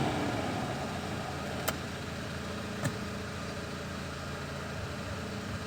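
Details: Peugeot 206 with the engine idling: the AC blower fan gives an even airy rush with no whistle or rattle, just two faint clicks. It had been whistling from a small piece of plastic, and cleaning it out stopped the noise.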